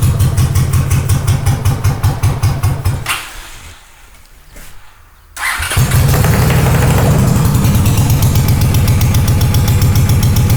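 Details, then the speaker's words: Honda GL500 twin, not started in over a decade, first start after a wiring loom rebuild: the starter cranks and stalls, then the engine catches and runs on choke with a lumpy beat of about 150 pulses a minute, cause unconfirmed. Rough idle on choke. "Pull the choke up. That's freaking encouraging. That bike is not started in over a decade."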